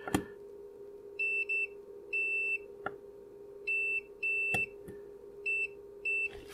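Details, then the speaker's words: Short clean high continuity beeps in repeated pairs as probes check solder and leg on a flash chip adapter after reflowing a joint; good solder connection on the cheap voice recorder module. "now i'm sure i tested this previously and that worked okay so we reflow it let's give that another go solder leg okay"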